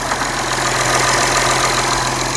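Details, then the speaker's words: 4th-gen Acura TL at idle after a coolant line delete, nothing now connected to the throttle body: even idle with a constant airy hiss; owner hears hissing, source unknown, would need a smoke machine; hissing at idle. "do hear hissing from somewhere. pretty much just need a smoke machine, I think, to really know for sure."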